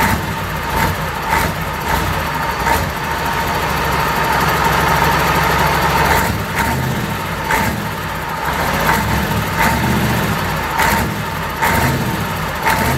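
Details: Perkins V8 diesel in a Fordson Major, first start after a long time, fuel now reaching the injectors and returning, no coolant in it: even, steady idle with light periodic clatter and no misses; running cleanly.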